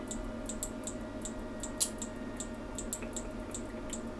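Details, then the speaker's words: Atomic AT-5000.1D subwoofer amplifier under repair, on 9 V input: relays click in and out about three times a second over faint hum, green light flashing; owner suspects the power supply lacks enough power to reach full switching. "Relays are clicking in and out."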